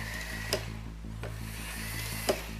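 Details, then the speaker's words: Model loco running on a Hornby duet-type controller rather than the new Hornby R7229 controller: steady smooth motor whir with faint regular clicks and no buzz; H-class loco runs quietly, normal. "there's no buzzing noise I change the locate to the h-class be nice and quiet"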